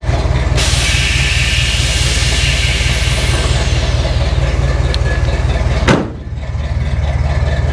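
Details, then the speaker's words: 1947 Chevy hotrod on airbags, stored and unused for years: a loud, uneven, lumpy run with hiss and a sharp pop where it stumbles, running rough with the cause unknown. "it runs bad"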